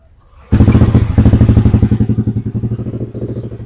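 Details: Yamaha Aerox (old model) scooter after repairing a faulty body wiring harness that caused total no-start, battery 12.5 V: catches at once and settles into an even low putter of about four beats a second; starts and idles normally, charging normal.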